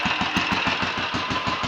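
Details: Royal Enfield 500 single (Asbo 34), rebuilt with ported head, barrel shortened 2 mm, Hitchcock's 9:1 piston, strobe-set timing; third start, about 10–15 minutes running since rebuild: crisp even lively thump, no knocks or rattles, leaks or smoke, plenty of compression; normal idle.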